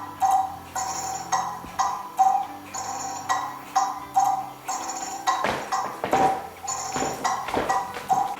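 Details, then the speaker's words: Kieninger longcase clock movement on a test stand with a new suspension spring and beat amplifier: uneven bright ticks, three in a group then a dull clunk, so it is out of beat. "I've started the pendulum swinging and you can hear there's three distinct Tick Tock plus a clunk in it so we're going to get that sorted out now"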